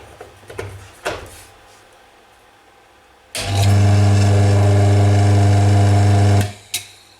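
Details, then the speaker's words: Rusty used electric motor with a starting capacitor (no run capacitor), bench-tested before plugging into the wall; after handling clicks it hums to a steady mains-pitch drone for three seconds, turning slowly as a 1400 RPM motor: works, normal running. "it does work and it is turning kind of slow which means this is a 1400 RPM motor which is great"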